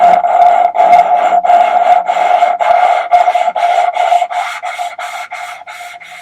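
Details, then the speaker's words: Hand-lapping the number two intake valve with coarse grinding paste on a VW T4 2.5 TDI ACV cylinder head under rebuild: rhythmic gritty scrubbing strokes, two or three a second, turning quieter and smoother as the valve seats. "Again, we're listening for the sound, the change in the sound, so you can hear that it seats."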